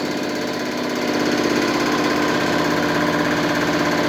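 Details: New Holland CX8080 combine hydraulic pump and hydraulic motor being run in on a test stand after repair. The motor runs with a steady, even hum at one constant tone and no knocking or grinding.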